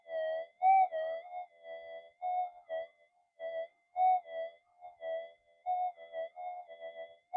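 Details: Upgraded older Minelab GP Extreme detector on the bench, 0.05 gram gold flake passed the coil: clean crisp warbling tones rise and fall repeatably, a healthy, sensitive response.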